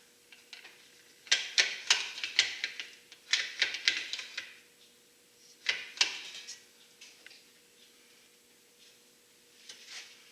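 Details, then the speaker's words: Power window motor from a 1990 Dodge camper van, bench-tested in a vise: irregular bursts of sharp, dry clicking with no steady drive hum. The gear sounds stripped and skipping, the same fault as the other side's motor. "just wanna just bench test it here in the vise and see what it does and it does nothing oh dear don't wreck the place so it sounds like the same as the same problem is the other one had"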